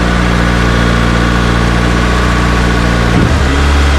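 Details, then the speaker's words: Ignition-on idle of the new Vitara-built D16 turbo engine in a budget EK Civic, laptop connected, coolant barely warm, intake air 22°C: steady, fast hum held well above normal idle with no drop or misses. Idle sits too high, cause unknown. "So the fact that it started and ran and idled, and even though it was high, that's a pretty good accomplishment and achievement for me, so I'm happy with that."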